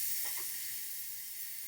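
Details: Pressure King Pro pressure cooker at the end of its first clean cycle, with the valve set to open: a sharp, steady high hiss of steam venting that slowly eases as excess pressure escapes. Normal steam release.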